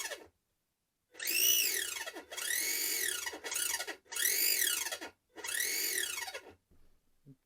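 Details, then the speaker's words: Mardave Mini competition RC car with carbon chassis, brushed motor: shrill whistling whine swooping up and down with each throttle burst, pinion meshed slightly too tightly against the spur gear. "peu trop serré j'aime pas le bruit donc ça siffle si ça siffle c'est que le pignon de pin pour moi"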